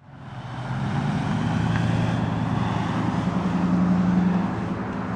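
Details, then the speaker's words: 2004–2011 Ford F-150 with manual climate control, after replacing blower motor resistor: steady airy rush with even low hum, all four speeds working, no squeal or rattle; blower running properly. "So we'll go ahead and turn the key forward and let you hear the fan. You can see it's already running on low. There's two. There's three, and there's four. All of them working, huh?"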